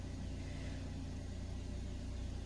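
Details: Toyota Calya after the fuel filter was removed, cleaned and refitted to cure power loss when hot: ignition on for about a minute to prime fuel, then started; low, steady idle, even beat, no misses or hunting, healthy.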